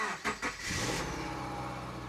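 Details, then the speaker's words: 2009 Subaru Forester after head gasket replacement, refilled coolant and oil: quick cranking, catches and settles into even steady idle, no misfire so far. "No more misfire so far, but she is alive. So everything's looking good."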